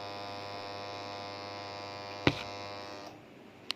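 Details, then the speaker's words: Fully automatic washing machine tested without PCB on direct 220VAC, water inlet valve wires energised one at a time: steady low mains buzz, then a click as it drops away. Inlet valve coil energises fine. "अब water inlet valves के दोनों तारों को एक एक करके चेक करें। ये आवाज़ सुन सकते हैं।"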